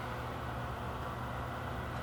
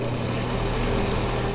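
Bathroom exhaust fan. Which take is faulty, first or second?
second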